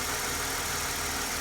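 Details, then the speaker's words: Mercedes-Benz C240 after fixing a crank-no-start (fuel pressure read 10, new fuel pump, fuel filter, spark plugs, cracked part sealed with liquid tape); steady even idle, no knocks, misses or surging; normal idle. "So right now she is running golden. I am so happy right now."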